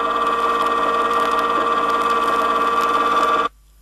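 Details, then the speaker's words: Rear axle hypoid gear set demonstration with pinion moved out of the drive gear in 0.002-inch steps, pattern at extreme tooth ends; loud steady harsh high whine near 1 kHz, objectionable noise from incorrect pinion depth. "at this point the sound of the gears is definitely objectionable and could be classified as noise to further emphasize how pinion depth can cause rear axle noise"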